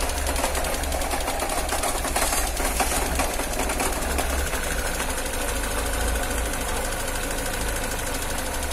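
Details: Engine cold in the morning: rough, shaking running with a fast light ticking over the idle on cold start; cause unknown.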